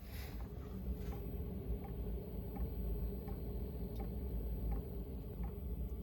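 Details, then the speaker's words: Diesel air heater in Chevy Express camper van at startup: slow soft fuel pump ticks about once a second over quiet background; normal pump clicking. "you can hear the pump. It's clicking slowly."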